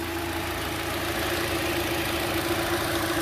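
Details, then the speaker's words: 2012 Hyundai Elantra after first oil change with full-synthetic oil and engine flush: steady, even smooth idle with no ticks or knocks; healthy, sounds different than before. "josh you ready to motor up let's do it let's see what she sounds like come on over take a listen sounds so much different"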